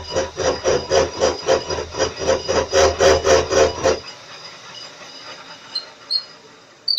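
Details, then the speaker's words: Drilling and chamfering a 30 mm bar on a grinder/mill used as a lathe; a rhythmic rasping cut of about four pulses a second is chatter from spindle axial play, since the spindle moves back and forth under load. "And unfortunately, there's nothing I can do about the vibration, because the spindle goes back and forwards, and it's not supposed to be taking actual loads."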